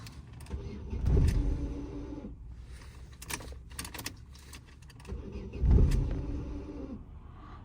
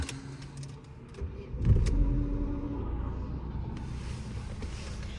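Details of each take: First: 2009 Opel Astra G sedan (engine swapped from Z16XEP, reportedly X16XEL), no start after battery drain: after programming it fires and briefly surges but stalls, idle unhappy; resetting adaptations to factory settings fixed it. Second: 2009 Opel Astra G sedan with swapped 1.6 engine (X16XEL per title), after a battery drain caused no-start; started after ECU resets, idle settles with no errors; brief crank then steady, even low idle; normal start and idle.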